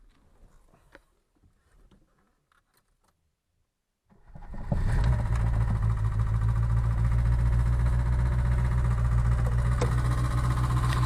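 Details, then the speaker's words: VAZ 2107 engine starting and idling: a quick, even valve-train ticking that persists despite valve adjustment. Worn rocker arms are suspected; the rockers will be replaced along with the valve stem seals. "Здесь даже без камеры слышно, как они здесь стучат. Сейчас будем разбирать и менять вот эти коромысла."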